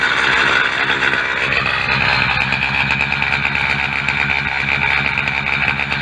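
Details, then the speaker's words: Two-stroke motorbike (NGK B5HS plug) after blown exhaust gasket and roadside repair, about 40 km ride home: harsh, raspy puffing over a fast idle as exhaust gas spits from the leaking gasket, though the engine runs well. "well Kitty and I made it home safely and here the exhaust is leaking away but it's got a phone"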